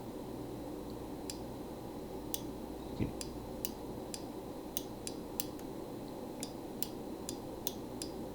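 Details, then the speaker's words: 1984 JLG 80F boom lift PQ controller after bending its lever to press the microswitch button: sharp crisp clicks just before the lever goes over, over a steady low machine hum, showing the switch now makes full contact. "you can hear the clicking and it clicks just before it gets up and over but it is pushing it even more so it is making a full contact"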